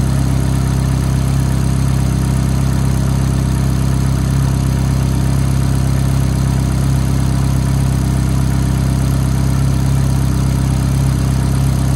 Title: F430 Cold Start Ticking Noise